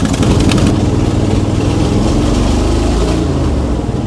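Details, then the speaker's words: Salvage-yard square body C-10 truck with a loud, ragged note that stumbles and won't rev, then dies out; misfiring cylinder sounds near the exhaust leak, owner suspects fuel starvation and plans new spark plugs. "It doesn't want to rev. And she's dying out. And I think she's starving for fuel, too."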